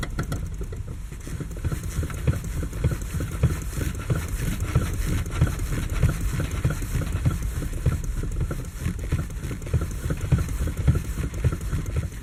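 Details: Lada Kalina, 6 years old, steering wheel rocked quickly back and forth: irregular dull knocks, under two per second; owner says the loudest knock is the electric power steering unit, the rest the steering rack; U-joints have slight play, don't rattle.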